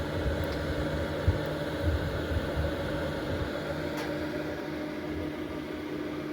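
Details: Early-1990s Lakewood model 767 fan heater (120 V, 1500 W) switched from 695 W to 1500 W, fan on higher speed: steady, even whoosh with smooth low hum, no rattles or scraping; normal.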